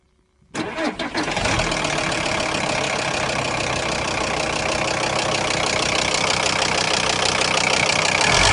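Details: Volkswagen Crafter engine starts then loud rough idle with a steady clatter about three knocks per second; owner asks what causes the knock, cause unknown.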